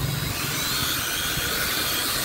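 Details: C88 toy drone after repair, held by hand with throttle raised: high steady buzzing whine from small motors at full speed, even, no rattles or stutters; motors healthy.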